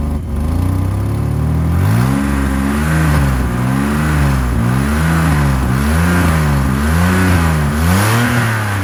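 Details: 1985 BMW E28 535i, M30 straight-six, cold start at 19°F after sitting for months: revving up and down with a raspy, puffing edge that rises with revs; exhaust leak where the headers meet the catalytic converter.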